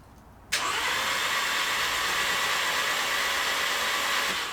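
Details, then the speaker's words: VW Scirocco 2.0 TSI, engine reinstalled after an engine-knock repair, cranked with the spark plugs out and an oil pressure gauge fitted: steady, even starter whir for about four seconds with no compression pulses; oil pressure rose immediately, so it cranks normally. "sweet but i'm happy with how that cranked over and the oil pressure went straight up so i'm gonna get the plugs in and we'll get ready to fire"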